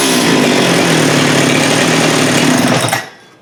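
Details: Husqvarna 394 chainsaw with HyWay 58 mm big-bore cylinder, cold day, after fitting an aftermarket carb: high, steady two-stroke scream held at full revs without bogging or surging, about 12,100 rpm no load, then cut off cleanly.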